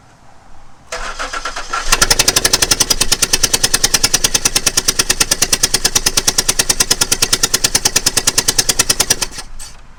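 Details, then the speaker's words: Ford Flex 3.5 NA during a spark plug change, cranked with the last plug still out so the cylinder spits out oil: fast, even starter cranking at about eight beats a second that never catches, with no firing. "and then I'll pull this one out and just crank the engine over so it'll spit some of that oil back out, and then put that last spark plug back in."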